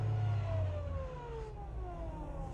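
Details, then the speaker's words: Dodge Caliber CVT, 179,000 miles, with codes P0741/P0777: a clear whine over the engine while revving in neutral, dropping in pitch as revs fall; transmission whine. "i'm gonna go to neutral whoa see i hear that wine all i'm doing is revving up on the car"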